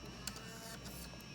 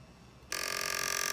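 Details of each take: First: PS2 disc drive after lowering the laser sled support height so it no longer grabs: steady, even motor whirr with a faint tick, no grabbing or grinding; smooth optical drive operation after adjustment. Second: PS2 disc drive: after brief quiet, harsh, steady high rasp starts abruptly as the drive scrapes instead of spinning the disc, attributed to warped parts from repeated disc insertion.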